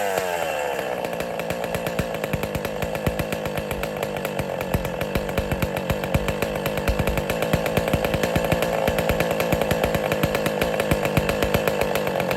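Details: West Bend / Power Bee 820 two-stroke engine, first-ever start, not cold out, choke opened, throttle opened more, windy outdoors: high buzzy note settling into steady even run, no misfires or stumbles; normal running.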